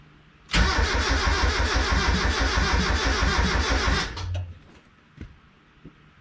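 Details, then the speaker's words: Turbo Miata first start after a clutch and flywheel job: the starter cranks steadily at about three beats per second but the engine never fires, and it reads lean. Cause: fuel feed and return lines swapped, pushing against the fuel pressure regulator diaphragm. "All right, so it turns out that I had the fuel lines crossed. I had the return and the feed and the feed and the return, so it was just pushing against the diaphragm on the fuel pressure regulator."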